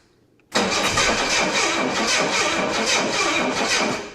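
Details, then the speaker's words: 1984 Jaguar XJ6 automatic, sitting 20 years, after fixing a loose body ground (alternator locked up): starter spins engine fast and even for about four seconds, steady churn, sparking; good cranking, no start yet. "Seems like it's actually sparking. Seems like it's cranking pretty good."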